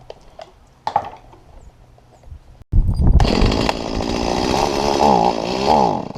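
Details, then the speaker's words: Stihl MS170 chainsaw with the carburetor inlet control lever bent down too far: the saw fires, then revs stagger and sag unevenly instead of holding clean, bogging down; the lever was later lifted about 2 mm with pliers. "I realized that the top of that lever was bent down too far so all I did is I took a pair of pliers and I gently lifted it up about 2 mm after which this is wh"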